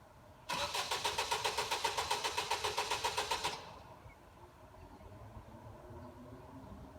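Starter spins for about three seconds at roughly seven even pulses a second, the engine never catches, then silence: cranks but won't fire.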